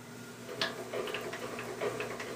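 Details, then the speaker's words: Wells Index milling machine, knee cranked after the gibs were adjusted and tightened: quiet, even light ticks with no popping or binding, and travel sounds much smoother. "oh that's a lot smoother feels much better all right yeah I think that's more like where we should be"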